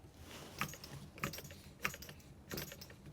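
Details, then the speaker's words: Newly assembled Wig Wag oscillating wobbler engine, flywheel turned by hand before the air is connected: soft, regular puffs about every 0.6 seconds as air is sucked in and blown out; the cylinder seals well. "So, you can definitely hear uh the air flowing or getting sucked in and blown out."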